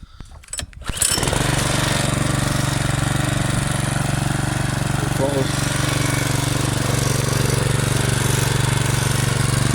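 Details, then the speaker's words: Weibang Virtue 53 mower, Loncin 196cc engine, at the stock governed speed of about 2800 rpm before the owner raises it to about 3200 rpm: starts, then holds a steady, even drone with no surging. Normal. "So this is the stock engine RPM. This is what it sounds like. Helps if I turn it on."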